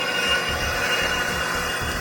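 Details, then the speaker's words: Ammco 3000 brake rotor lathe, freshly cleaned up, turning a hat rotor: steady even whir with a soft regular low thump as the carriage feed runs at high speed travel out; runs smoothly and healthy. "And the feed is right here. You reach over, you bring it in. That's high speed travel out."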